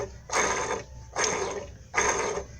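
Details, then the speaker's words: 2002 Fiat Palio Fire 1.0 8-valve, engine grinding complaint, timing belt tensioner removed and spun by hand: gritty, dry rumble dying away each spin; tensioner bearing rough and worn, water pump also blamed for engine noise. "então fica a dica aí tá pessoal barulho no tensor já tá até fora aqui seu tensor estica a correia dentada muita atenção com isso aí tá galera"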